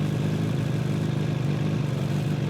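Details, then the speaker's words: Suzuki Katana GSX-F motorcycle at idle: even thumping with a faint buzzing rattle on each pulse from a small loose part the owner cannot fasten; slightly weaker pull at low revs, fine higher up. "Ako čujete te neke vibracije, to je ovaj mali čičak."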